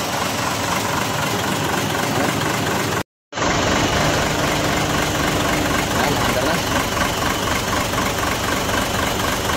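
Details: 6M70 diesel with a hard-starting injector problem, after injector work: it catches after a brief pause and settles into a steady, even idle with no misfire or knock, running healthy now.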